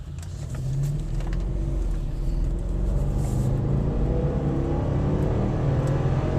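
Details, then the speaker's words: Nearly 5,000lb 4x4 vehicle after new gear installed, driven about 5 miles, accelerating; smooth even pull with steadily climbing engine note, no knocks or clunks; the 4x4 and ABS warning lights stay off. "does not bad for a nearly 5,000lb vehicle no 4x4 lights no ABS problems okay so far so good"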